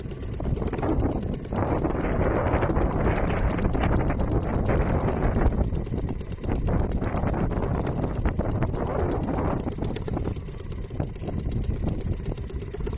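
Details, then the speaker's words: Restored old Seagull 40 Plus outboard idling in deep water after repair, just started, warming before throttle. Steady, even putter with light ticks over water slosh, no misses or surging, quiet; normal healthy tickover. "Well, it's ticking over beautifully. Let me see if I can just move you down a bit closer. Sounds lovely. It's quiet as well."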